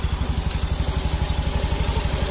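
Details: 2019 Honda Beat Street with smoking and oil loss: soft, even idle with steady low putts about ten a second, no ticking or rattle on top; healthy and quiet.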